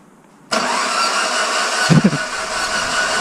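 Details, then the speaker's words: 1st-gen Dodge Neon SRT-4 coupe after ECU and SKIM module swap with spark and fuel signal confirmed; starter spins fast and even without compression load, never catching; no compression. "so just a little update again as a last video I recorded was showing that we have no compression"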